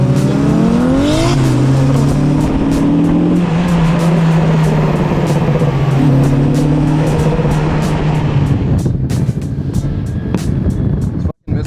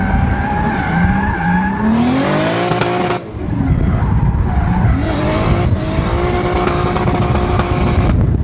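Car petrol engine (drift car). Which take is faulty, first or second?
first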